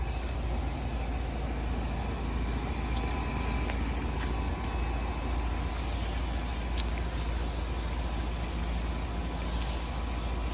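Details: 2018 Trane XR14 outdoor unit: steady condenser hum and fan rush with irregular high squeaks; fan motor later found pulling high amps, but the squeak source remains unknown.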